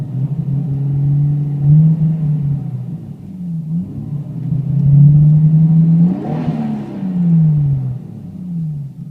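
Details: Toyota Supra MKIV J-spec twin-turbo revving; revs climb and fall in uneven surges with a ragged stumbling note, weird misfire-like behavior, cause not clear.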